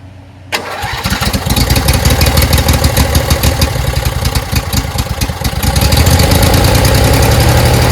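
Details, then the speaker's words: Briggs & Stratton Intek V-twin, run three to five minutes without cover or tins to find an oil leak; catches at once, steady even twin-cylinder run with no knocks or misses, sounds healthy; oil seen dripping from suspected busted sump gasket. "Engine really sounds good. Okay, just running it for a few minutes, three to 5 minutes."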